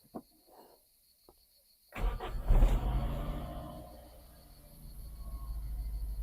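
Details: Toyota Starlet started after 5 years sitting, with starting spray, fuel pump heard working: quiet clicks, then engine catches and settles into steady low rumbling idle and keeps running; no leaks, normal start and idle.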